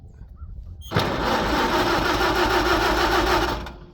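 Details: Farmall H tractor, flooded by choking; gas then drained from the carburettor, fuel on: starter spins the engine steadily for a few seconds, even cranking beats, never catches. Cranks, no start.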